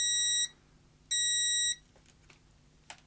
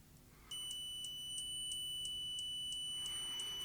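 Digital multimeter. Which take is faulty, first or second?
second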